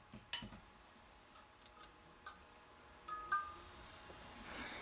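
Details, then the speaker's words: Philips 2xF30T12 preheat fluorescent fixture converted from instant start with spare preheat ballasts and glow starters: a few soft, irregular ticks as the starters cycle, then quiet with a faint hum, quieter than before; a normal preheat start. "you can see, it's not really blink happy. It's quite nice though, so you can hear it's a bit more quieter."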